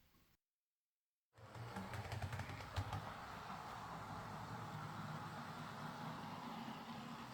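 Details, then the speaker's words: Bachmann Class 25 model locomotive after repair. It came in for a suspected slipping drive shaft, traced to a split drive cup not turning the worm gear reliably, which was glued with metal epoxy. The motor starts and whirs evenly with no slipping. "Uh, the split wasn't too bad, though, so I ended up gluing the the cup with some strong metal epoxy, and it'll be fine."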